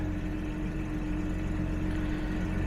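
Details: 1970s Jaguar (1975 XJ6 or 1977 XJ12) being checked for charging, voltage around 13 V: steady, even idle with smooth low rumble, no misses or knocks; normal idle.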